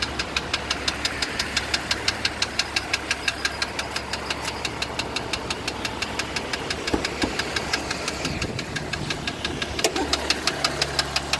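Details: 2015 Jeep Grand Cherokee diesel engine running with a sharp, regular knock of about three per second over a steady hum.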